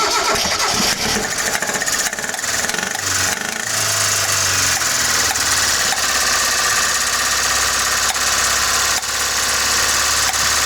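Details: Carbureted Mitsubishi lacking power: rough idle after cranking with loud, uneven knocks and pops back through the carburetor. An engine analyzer traced it to a valvetrain knock from a worn exhaust rocker and cam lobe.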